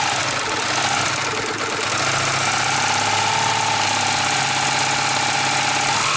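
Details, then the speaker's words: Yamaha New Vixion at idle with a fast, light tickling tap about three per second over a steady idle. Possibly loose valve train; the cause is unknown and still being investigated. "Ya, bunyi menggelitik. Ada yang pernah mengalami? Please comment."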